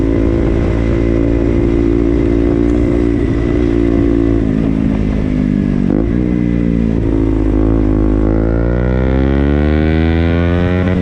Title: Ktm duke making noise|winchester